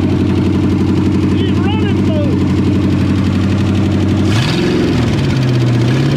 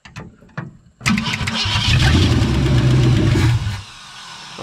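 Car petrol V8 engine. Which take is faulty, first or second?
second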